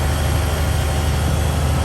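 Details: 1971 Peterbilt 352, after replacing the rusted air tank: deep, even diesel idle at steady speed while building air past 15 psi, decent oil pressure; no knocks or hiss, sounds good.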